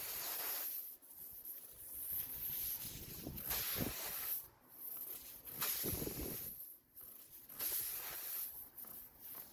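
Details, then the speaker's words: Tire with a screw puncture in the tread, screw pulled with pliers: soft hissing in bursts between scraping pushes of the rasp tool as air escapes from the hole being cleaned for a repair plug. "Step 2. Use pliers to pull the screw out. Right away you'll hear the air escaping, so move quickly to the next step."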